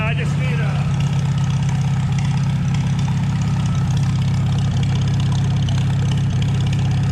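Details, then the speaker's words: 1949 Farmall H tractor just revived after sitting unrun for roughly 10–20 years: steady, low, even idle beat about four per second with no knocks or misses; sounds more loaded yet smoother. Normal running. "Let's Funny. It sounds like it's loaded more, but it's smoother."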